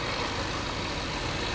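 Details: 2013 Jaguar XJ at idle after a PCV kit fixed lean codes P2187/P2189 on banks 1 and 2 and the hissing from the right valve cover: steady, even idle with a smooth low hum, no hiss or sucking noise, healthy.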